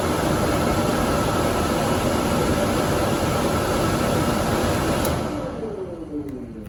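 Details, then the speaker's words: Dometic furnace in a Fuzion 429 5th wheel, with the sail switch pulled out of the fan housing and left inactive: blower rushes for about five seconds, then shuts off without ignition because it cannot safely light the flame. "The sail switch is not active, so the circuit is not complete. And the fan will shut off because it's not safe to light the flame."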